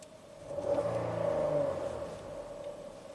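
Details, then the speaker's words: 2017 Ford Explorer V6, 106,000 miles, after intermittent misfire and surging idle (suspected sticky oil control solenoids, fresh oil): brief swell in revs then even, steady idle, no surging or missing; seems fixed. "it's not doing the uh surging at all idle anymore at all like it was doing yesterday like it's dead smooth everything's R's perfect"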